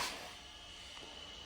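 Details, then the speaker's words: Failing radon mitigation fan, still running, heard inside the office through the walls: quiet steady hiss with a thin high tone, an abnormal fan. "you hear that hissing? Yeah, that's an abnormal fan."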